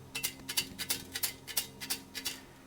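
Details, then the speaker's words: 1980 Yamaha RD350LC two-stroke with engine knocking, exhaust pipe removed and shaken: sharp metallic rattles in bursts about four a second from loose steel fragments inside; debris rattling in exhaust pipe, cylinder removal planned. "All right. I can see stuff in there. Let's tip it out."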